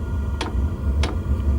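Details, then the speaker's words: Newly primed diesel heater in an ice fishing shelter: steady low fan hum with a sharp dosing-pump tick about every 0.6 seconds as it burns; running normally. "I hear the Burn you hear the pump going it's not terribly loud a lot of people complain about that pump and there other ways to quiet it but it's really not that bad"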